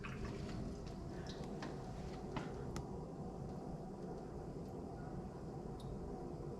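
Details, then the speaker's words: A.O. Smith hybrid heat pump water heater (dual elements) refilling after repair of its thermostatic mixing valve for lost hot-side pressure: quiet steady low rush of water into the tank, faint drips, no hissing or spurting; normal refill, no leaks. "can hear the water filling the water heater"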